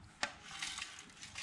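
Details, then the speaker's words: 1978 JC Penney Pinto moped, removed empty gas tank rocked by hand: dry gritty rattle and sandy swish of loose flakes sliding inside; a ton of rust debris in the fuel tank. "I don't know if it's going to pick up well on camera, but you can hear that there's a ton of rust"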